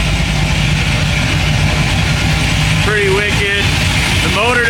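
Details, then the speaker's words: 1957 Chevy wagon V8, warm, after a Sloppy Mechanic stage 2 cam install (about 585 lift intake and exhaust). Choppy, uneven lope with a deep exhaust; a normal cam idle from a healthy engine. "Uh, so, you know, it sounds pretty wicked than it did before. Uh, you know, this is just a Sloppy Mechanic stage 2 cam."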